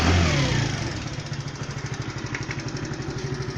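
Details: Lexmoto Echo 50 GY6 Euro 4 scooter with engine management light on, with poor starting and running issues: slightly squeaky starter from sitting, catches and settles into a steady even idle putter around three beats a second.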